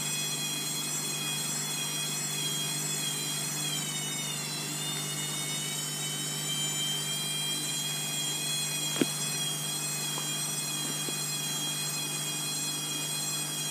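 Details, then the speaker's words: Bosch WFF2000 washer, Cottons 90 with prewash, intensive and cooldown, towel load, spin after draining. High, piercing whine climbing in pitch as drum speeds up, then holding steady; owner calls the motor whiny: loud motor whine during spin. "Not actually looking forward to the spin because of the whiny motor. I've already had complaints from my brother and sister that they hate how whiny it is, but still, it's not going anywhere soon."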